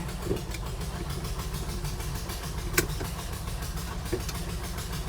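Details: 1971 Plymouth Hemi Cuda with carburetor, just started: deep, lumpy V8 idle with a faint quick puffing tick from a leaking exhaust manifold that is warped and needs machining flat.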